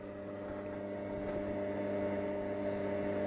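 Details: Cossor valve radio being revived on the bench, current rising from 40 milliamps as voltage is brought up: steady low hum with stacked tones slowly growing louder; mains hum before stations appear and it comes alive.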